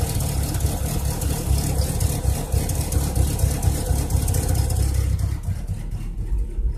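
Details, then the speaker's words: Chevrolet Cavalier, cold start at 77°F coolant in open loop, no stored codes: lumpy uneven idle with irregular stumbles in the exhaust beat and shaky rumble; cylinder 4 suspected not firing, running very rich with an odd smell; cause unconfirmed. "it's very rich at idle which is probably due to number one cylinder off and outer space and not firing all"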